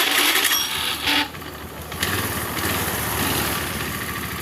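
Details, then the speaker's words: Honda Scoopy FI scooter, rear wheel supported on wood, after replacing a snapped drive belt that had caused rough noise and no movement: engine revs then settles into an even drone as rear wheel spins; CVT drive normal. "Dan alhamdulillah untuk motor yang tidak bisa berjalan sekarang sudah berjalan, Teman-teman."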